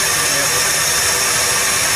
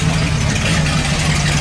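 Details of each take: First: 1978 Dodge D100 after sitting almost 20 years, first run after distributor adjustment: steady, even idle with no misses or knocks under vacuum-leak hiss; running properly. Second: 1978 Dodge D100 revived after sitting almost 20 years, idling in neutral with the broken exhaust removed: loud raw open-pipe roar with deep rumble underneath.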